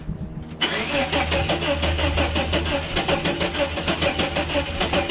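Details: 1989 Chevrolet S10 Blazer, after everything was reconnected: steady starter cranking about three turns per second, no firing; cranks but won't start, owner wonders about needing new cords, cause unknown.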